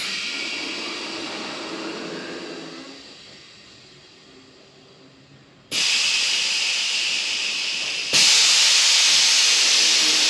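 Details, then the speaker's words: 1940 chopped, LS-powered Chevy coupe on air suspension (bags): a steady air hiss fades as the car lowers, then loud hissing bursts return twice. Air is escaping from the suspension, a visible and audible leak. "let see going down oh this thing got a leak I can hear it and I can see it"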